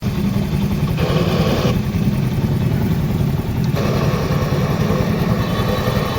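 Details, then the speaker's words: Honda CD 70 motorcycle engine idling, noise from the engine when the clutch is pressed: harsher rattly whir comes and goes with the clutch lever pulled in; worn clutch release bearing, to be replaced. "तो आपने engine की आवाज़ तो सुन ली है, जो clutch दबाने पर engine से आवाज़ आ रही है, तो इस आवाज़ को आज हमने ख़त्म करना है।"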